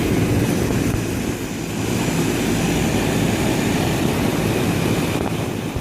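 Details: Outdoor AC condenser unit: loud, uneven whirring with a rough flutter as the condenser fan blades strike a lizard caught inside the unit.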